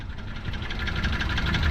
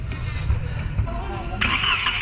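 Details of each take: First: Toyota Wigo engine at idle: heavy rhythmic knocking and rough, uneven running, bad enough that the engine stalls. It is not valve clearance. Water likely entered through the air cleaner. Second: Toyota Wigo after engine knock repair, three connecting rods replaced: starter whirs briefly, engine catches and settles into smooth even idle with no knocking; fixed.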